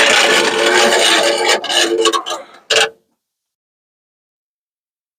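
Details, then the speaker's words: 1950 Ford F1 with flathead V8 8BA, door window that came off its tracks: a dry scraping rub for a few seconds as the glass moves, then stops; a regulator piece that would not snap back on rubs against the window. "so it just kind of rubs up against it and that's what that noise is"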